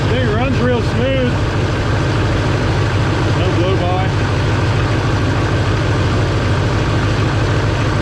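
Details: Duramax diesel in a parts truck, bought for a Suburban swap, started on a borrowed battery, idling with a deep, even, steady low rumble and no misses or knocks. Check-engine light on for turbo vane position sensor and glow plug.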